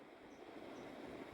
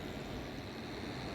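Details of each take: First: Split AC indoor unit blower motor after bearing replacement and reassembly: steady even whoosh with no grinding, rattle or rumble, replacing the abnormal motor noise heard before. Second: AUX split AC indoor unit after servicing: steady loud rushing whir with a faint high whine and uneven roughness from the blower motor; abnormal noise attributed to a failing motor bearing, to be replaced.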